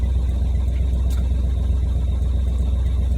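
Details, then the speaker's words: Edsel V8 started, not fully warmed up: low, lumpy idle with a steady puffing tick about four per second from multiple exhaust leaks. "let me fire this thing on up here let you hear it like i said it's got some piled exhaust leaks"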